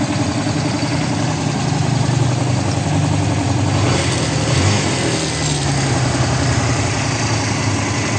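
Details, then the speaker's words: Kawasaki Barako, sat unused for months, would not start; after battery charge, charging 13.2 V: settled even idle with a smooth low thump, no skips or stumbles; normal idle. "Kanina hindi umaandar. Ayaw umandar ngayon okay naandar na at may mil na rin mga idol."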